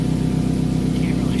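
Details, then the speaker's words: 2007 Toyota Camry at idle before repair: a sharp puffing tick keeps time with each firing; exhaust leak from a hole on top of the flex pipe under the car. "Same garage we're all we're going to be working on Emily's Camry. And here it's got an exhaust leak."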